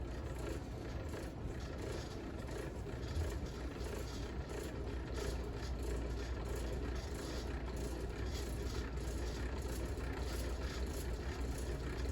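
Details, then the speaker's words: 38-inch Fasco Worlds Fair model 948 ceiling fan from July 1982 on variable speed: constant low rumble with gritty scraping rattle and wobble; crumbled rubber flywheel and bad bearings. "And as you hear, the fans really sounds terrible."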